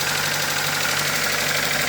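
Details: Car engine after a new coil and connector fix, idling. A quick, light ticking over a rough, uneven idle; the owner attributes the tapping and roughness to a bent valve.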